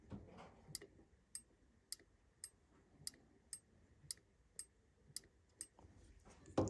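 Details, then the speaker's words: Furnace pressure switch, cleaned and tested by blowing into its port in a quiet room: crisp sharp clicks about twice a second as it snaps over; switch working, fault lies elsewhere. "you guys heard if he does that sound virtual switch is working good so it's not if it does that sound it's not that it's broken something else is causing it too malfunction"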